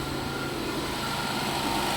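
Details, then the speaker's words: 2000 Chevy Impala at idle, brought in for a suspected water pump coolant leak after someone else worked on it: fine busy rattle riding on steady idle, water pump pulley clattering on loose bolts. "And I hear something making noise on this thing too. What is that?"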